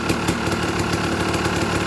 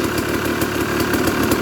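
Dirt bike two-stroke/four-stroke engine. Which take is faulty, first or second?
first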